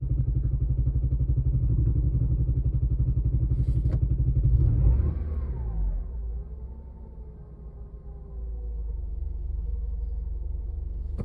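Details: 2003 Honda Element, driven 200 miles in limp mode after a torrential downpour, gives a deep lumpy exhaust rumble pulsing about three times a second: loose manifold heat shield and an exploded catalytic converter rattling in the muffler.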